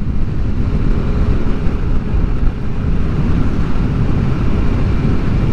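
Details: Yamaha Aerox CVT riding after fitting a Honda torque drive bearing and new center spring: even rumble at steady riding, former grinding and vibration gone; belt drive sounds smooth and healthy.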